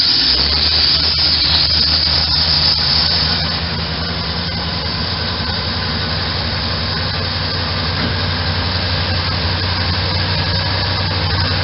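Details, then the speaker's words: 1984 Corvette C4 V8 at idle: steady idle with slight uneven lope now and then, like a cylinder dropping out; owner suspects slight intermittent misfire, probably running on 7 cylinders, not confirmed; otherwise runs pretty good. "So it runs okay. Got a slight mess to it. I think it's a little bit intermittent on 7 cylinders probably."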